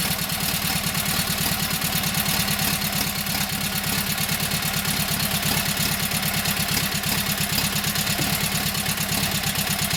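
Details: Kohler KT17 twin, first start: steady, even idle with quick regular beat, no knocks or misses. Oil pressure 50, governor pulls throttle back, timing good; carburetor high/low needs tweaking.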